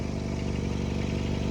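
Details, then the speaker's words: Engine at idle with an exhaust leak, confirmed by soot and bubbling soapy water: a faint, quick puffing tick rides on each firing pulse. It got much quieter once hot, but the leak still needs a new gasket. "I quieted down a lot after it got hot, but need a gasket."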